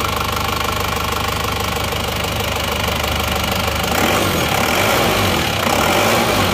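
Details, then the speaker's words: Isuzu Panther diesel after refitting genuine piston rings in place of imitation ones, with a temporary thermostat: a steady, even idle clatter with no knock or miss. It runs smoothly, far better than with the fake rings. "jadi ternyata suaranya suaranya sudah halus bagus perbedaannya sudah sangat jauh ya antara seer yang asli dan se yang KW"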